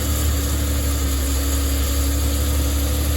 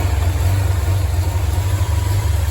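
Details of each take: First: Datsun 240Z engine, first start after a fault kept it from running, not terribly cold: lumpy surging revs held on throttle, won't idle on its own until warmed up; seems okay once warm. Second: Datsun 240Z engine running after first start: low steady idle rumble with even pulses, no knocks or misses; good oil pressure, temperature holding, idle mixture may still need adjusting.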